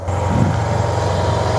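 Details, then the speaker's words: 2009 Yamaha TMax scooter, 18,000 miles, neglected project bike just brought back to life: low, even burble settling into a steady idle with no knocks or rattles; healthy normal idle. "yeah so that's it guys the bike is nice and Alive"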